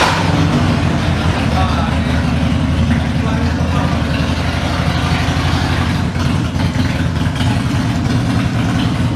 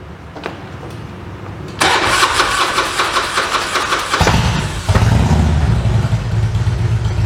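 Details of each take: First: Carburetted Harley-Davidson V-twin idling after a tune-up and oil change: steady, even, loping idle with no popping or backfires; engine sounds healthy. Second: Harley-Davidson carbureted V-twin during a tune-up: long starter cranking before it catches and settles into a lumpy idle. It is hard to start because the carburetor was just opened and fuel isn't flowing properly yet.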